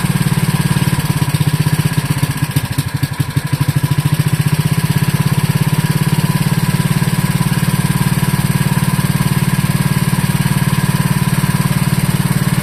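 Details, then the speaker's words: Wisconsin Model AB single-cylinder engine, running on tank fuel with newly added muffler after flooding: steady, even chuff at fast idle, no knocks or misses; normal running, fuel system still needing work. "That's a pretty sweet running engine right there."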